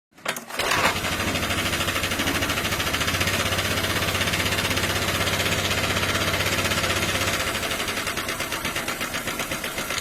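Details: Honda Vario 125 scooter starting and idling with a harsh rattly clatter, about four ticks a second.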